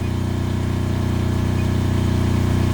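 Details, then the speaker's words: Kubota GL 7000 generator at about 61 Hz under about 1.7 load: smooth constant drone, steady pitch, no hunting, surging or knocking; running correctly. "about 61 Herz which I think is good for a running State and if you come over here and you look at the load right now I'm pulling 1.7"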